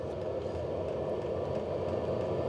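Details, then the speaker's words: HCalory Toolbox 2 12V diesel heater on 12V DC power station, past glow-plug startup on low setting, draw dropping below 50 watts: steady fan rush with fast, light fuel-pump ticking, more airflow; running smoothly, nothing abnormal. "So I've definitely got more airflow coming out of here now. That pump is ticking a lot faster, and we're only down to below 50 watts now."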